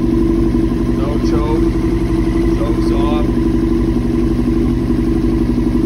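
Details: 2000 Yamaha R6 after a ripped carb diaphragm was replaced and the carbs cleaned and reinstalled, which did not fix it: uneven, lumpy idle with an unsteady rhythm; it still runs rough and the cause is not yet found.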